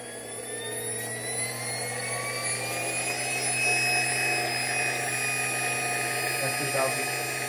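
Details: Porsche 924S EV conversion, electric motor run up toward about 6,000–8,000 rpm: a clean whine climbs steadily in pitch with no rattle or knock, only maybe a very slight vibration; smooth healthy run.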